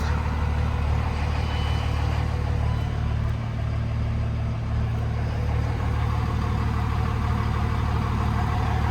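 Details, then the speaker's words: Older diesel truck after kill switch install, check engine light gone: even low diesel rumble at a steady idle with no knock, miss or surge; normal idle. "but you'll notice that check engine light went away and she's alive"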